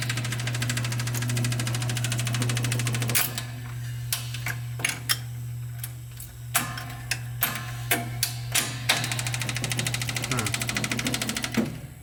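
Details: Seeburg SMC jukebox motor after installing rebuilt isolators and a new motor coupling, CPU not yet rebuilt: a steady low hum with a few light mechanical clicks. The motor runs smoothly.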